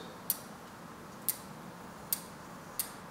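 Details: Bicycle wheel being trued, cable-tie gauge on the chain stay: light sharp tick about once a second, one per wheel turn, as a rim high spot brushes the gauge.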